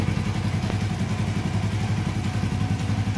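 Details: Suzuki FU150 injection motorcycle at idle after repairing its TA Racing high-pressure fuel pump: steady, even single-cylinder putter with no misses or stumbles; fuel pressure about 3.5 bar, engine running normally.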